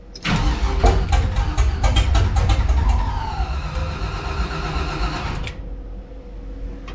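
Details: 1984 Cutlass G-body, procharged LS swap on Holley Terminator X EFI, popping on earlier attempts, jump box on: strong repeated cranking about four per second, a brief catch, then the engine dies instead of idling; cranks but won't start.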